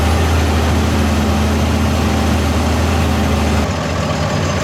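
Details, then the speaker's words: Fendt 936 Vario tractor, Deutz diesel, warmed up, under load around 1500 rpm: deep uneven pulsing beat, vibration felt through cab in time with one cylinder; a cylinder dropping out, suspected uneven injector/fuel system, not confirmed. "а такое ощущение как будто цилиндр перестаёт какой-то работать отказ Трои какого-то цилиндра Да"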